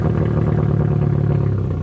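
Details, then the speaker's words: Engine with the muffler removed, held at idle only by constant throttle: loud open exhaust with lumpy, uneven, clattery pulses, struggling to hold speed. It is running rough. "But it shouldn't sound like that. And how are you able to keep it idling at all right now?"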